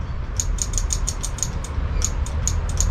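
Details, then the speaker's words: Honda Scoopy/Metropolitan scooter, ignition on, starter button pressed: rapid sharp relay clicks about six a second with no cranking; starter relay suspected faulty; faulty starter relay, no crank. "Again, I can hear the starter. I can hear the relay clicking."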